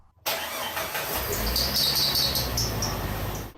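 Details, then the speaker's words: 1999 Jeep Wrangler TJ 4.0L 5-speed, cold start after sitting about 20 hours, after the new tensioner idler pulley: high chirping belt squeal for about three seconds, then fades; owner now suspects the other, previously replaced idler. "Foiled again. Maybe it's that other idler that I've already replaced once in the past."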